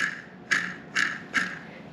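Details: 1970 Ski-Doo Olympic drive shaft bearing removed during sprocket and bearing replacement, spun by hand: three gritty, rasping bursts, rough worn bearing; chain case side bearing sounds all right.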